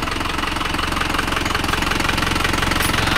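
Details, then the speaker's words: Isuzu Panther Turbo 4JA1 diesel after overhaul (liners, pistons, rings, bearings, gaskets, oil, filter, thermostat replaced) following a coolant-leak overheat that damaged a liner: even idle clatter about four beats a second, no knock; no blow-by or smoke, normal. "mesin normal ya, tidak ada bobos dan tidak ada asap lempar kita."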